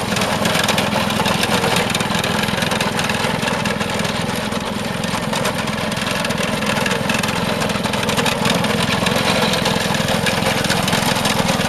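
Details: Vintage Craftsman 18" snowblower, rebuilt 3.5 hp Briggs single-cylinder, after carb fine-tuning: steady, even buzz at constant speed with no hunting or surging; well-tuned carburettor, normal running.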